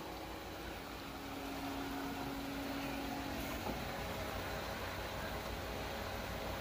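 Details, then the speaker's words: Pool pump restarted after Hayward filter cleaning, running 100% for first 3 minutes, bleeder open: now primed and drawing water, air heard escaping as the filter fills; even steady hum, no rattle, gurgle or surging; normal running. "Pump should be drawing in water. Now it's got primed. And you can hear the air coming out. That means this is getting filled up. It'll take a little bit."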